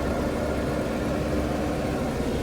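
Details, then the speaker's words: Austin Allegro just after an oil and coolant service, fresh fuel, coolant still bleeding air with the fans cycling: a smooth, even idle with a constant note and no knocks, ticks or stumbles, better than before; normal idle. "And it's going to take some bleeding through. Sounds a lot better than it did."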